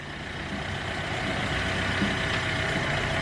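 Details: Hyundai Getz engine at 149,668 km, after clutch kit and oil pan gasket replacement for oil loss and poor pulling: quiet, settled idle with a soft even pulse and no knocks, ticks or misfires; normal.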